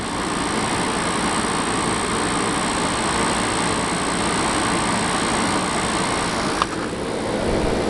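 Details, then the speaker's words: Air conditioner, sitting since last year, now cooling: an even, steady hum and airflow rush with no knocking, rattling or cycling. The compressor runs fine. "yeah i mean this compressor sounds fine listen to that"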